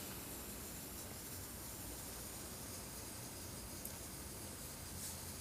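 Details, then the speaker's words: MSR XGK EX multi-fuel stove on white gas with XJ jet, preheating with priming fuel: quiet steady hiss with soft sizzle of fuel in the generator tube, no sputtering; normal preheat before blue flame. "you can hear the feels actually sizzling inside the generator tube and without pumping or any further this should heat up and then turn it to the nice blue flame"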